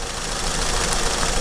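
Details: Acura TSX idling with an uneven, stumbling beat under a rough hiss: a cylinder 3 misfire, code P0303. An ignition coil change is the fix; the cause is suspected, not confirmed.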